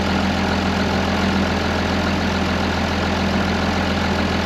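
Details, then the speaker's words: 2005 Ram 2500 diesel after replacing the FASS lift pump and fuel lines: even clatter at a steady idle with no stumble, hunting or misfire; running smooth and healthy. "just going to let this run for a little bit see if I can clear up the engine some sounds good running pretty even I like it"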